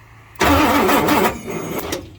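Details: 1967 Ford F100 shortbed with a 429 big-block V8, being revived and cranked on a jump box before a spark check. Starter churns quickly and evenly for about a second and a half, then drops off without firing; it cranks but won't start.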